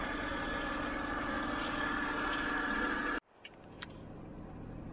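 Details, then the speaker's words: 2007 BMW 328i E90 after new electric water pump and thermostat, run about half an hour holding 199.4 degrees: smooth, even idle with a steady hum, no knocks or misses for a few seconds before cutting off; healthy. "okay i've been running it about a half an hour and it's been holding at 199.4 degrees so everything's fine"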